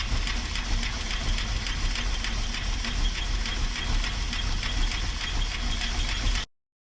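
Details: 1939 Buick coupe engine at steady low idle: light even tick about three times a second, valvetrain ticking; owner suspects a worn cam lobe or short pushrod, not confirmed.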